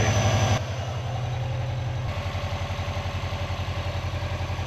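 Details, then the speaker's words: Non-AVCS JDM Subaru EJ205 boxer, restarted after reassembly, following timing belt and water pump job after which ticking had started; starts reluctantly, brief rev then steady even idle, zero knock, piston slap or ticking; normal idle. "That's good, but like, so it runs fine. There's zero knock or piston slap or any ticking noise whatsoever."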